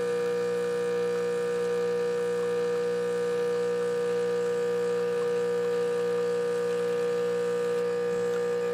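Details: Rancilio Silvia espresso machine, final test shot after a completed full service and tune-up: a steady, even pump hum at constant pitch with no surging or rattles while the shot pulls. Normal espresso pump running.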